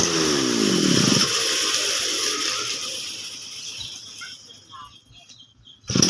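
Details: Small two-stroke brush cutter that would not start, running after the fuel tap was opened: engine buzzes high and revs down, then fades behind a steady hiss; normal running.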